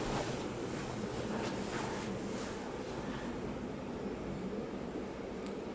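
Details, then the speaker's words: Bedroom ceiling fan running after oiling the motor to cure a raggedy, rackety noise: only a soft, steady airy rush with no grinding or ticking; now smooth and quiet. "very happy look at that silence it's not making any noise whatsoever y'all"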